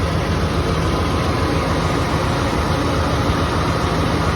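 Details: GM 7.4 Vortec V8 at cold idle, later after a few minutes running; heavy, dull knock buried in low rumble; owner unsure whether piston slap or bearing knock; engine knock at cold idle.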